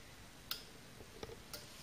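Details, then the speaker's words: 1972 Ford Cortina Mk3 GXL 2.0 auto, bench test of intermittent wiper delay module: stalk switch feeds 12 V to intermittent wire; sharp relay clicks about half to one second apart in quiet room, which would trigger the motor for one cycle; normal operation. "we're ready now to do our first switch which would be up on the stalk would give 12 volts to this cable which is intermittent"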